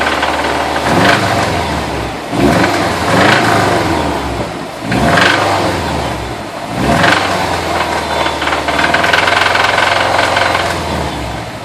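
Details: 2012 WRX engine, knock began on a freeway trip home: loose, hard knocking and rattle on throttle blips, rising with revs; owner suspects a thrown rod (bottom-end rod knock).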